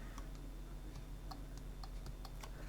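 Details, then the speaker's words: Eufy Robovac 11 roller brush motor on bench supply at 6 volts, red light and 4 beeps for stuck brush: faint irregular clicking, motor never spins; brush motor stalled. "Now I can hear the motor clicking, but it's not actually turning."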